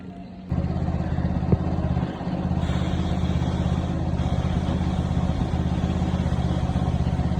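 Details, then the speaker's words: Yamaha FZ motorcycle after replacing worn front sprocket, original chain and rear sprocket okay: smooth, even engine beat with no chain slapping or grinding; drive sounds right. "Guys देखिए ये हमने गरारी डाल दी है और इसकी चैन एकदम okay ही थी।"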